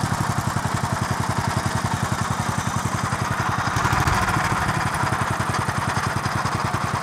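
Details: 1963 Bolens Husky 600 lawn tractor engine on 10-year-old fuel, off choke: fast, hard, even firing stuck at high speed, never idling; governor not controlling it because throttle linkage is disconnected.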